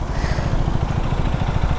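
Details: KTM Duke 390 single-cylinder idles with a coarse, uneven low thumping and a rough clatter riding on it; abnormal engine noise, cause not pinned down.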